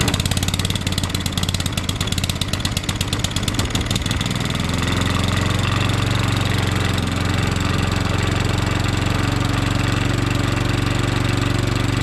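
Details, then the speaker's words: Allett 10-blade cylinder mower during DIY back-lapping, with the reel set just touching the bottom blade; the engine settles into a steady, even drone with a low throb and light reel whir, no knocks. Normal running. "What I'm going to do now is start it up and just let it run for about 5 minutes."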